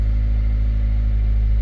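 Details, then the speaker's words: 2006 Toyota Corolla with P0301 cylinder 1 misfire code and rough idle, just after replacing the ignition coil: steady, even low idle hum, no stumble; sounds smoother, though check engine light still on and misfire code later returned. "Feel like I can already hear the engine running way smoother."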